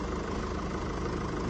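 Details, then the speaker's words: Mercedes E-Class 2017 (67 plate) OM654 diesel at idle after rocker arm and camshaft repair for knocking: even, steady diesel clatter with smooth low rumble, no ticking or knocking; sounds lovely, engine idles healthy. "sounds lovely no unusual strange knocking noises"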